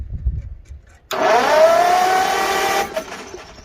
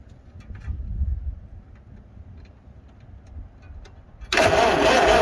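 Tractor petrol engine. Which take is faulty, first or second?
second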